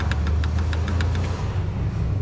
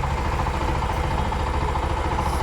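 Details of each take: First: Bajaj BS3 motorcycle engine at idle: low steady idle with a light quick tick about six or seven times a second that fades; knocking from excessive clutch bell play. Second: Bajaj BS3 motorcycle just started after re-boring, with new bearings and clutch work, jump-started on a low battery and not yet tuned: a low, even putter with regular firing and no misses or knocks. It idles smoothly.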